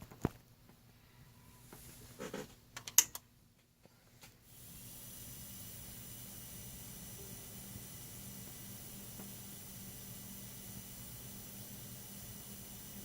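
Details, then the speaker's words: New custom quiet motors for 1:350 scale TOS model lighting kits, shown at changing speeds: after handling clicks, a faint, steady low hum and soft hiss, even and quiet, running normally. "okay see how quiet it is that's gonna go faster you can hear the sound and now even faster"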